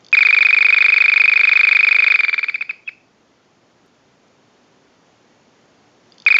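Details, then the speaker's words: Vintage early-model Frog telephone, original factory ring cycle sent from an analyzer, ring-control capacitor removed from the board; rapid high-pitched electronic chirp bursts about two seconds long, typical small-phone chirp, not frog-like, working normally. "To get back to the ring cycle control capacitor for what the audio sounds like on a ring cycle, it just chirps like some of the smaller telephones do. So it's pretty typical, and it doesn't sound like a frog."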